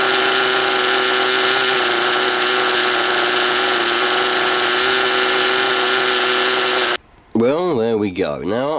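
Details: Original first-generation HPI Nitro Rush nitro RC car started after many years sitting, run about five minutes to burn off old fuel left in the tank: high, steady buzzing at even pitch for several seconds before cutting out; running cleanly. Exhaust leaks after the baffle noted.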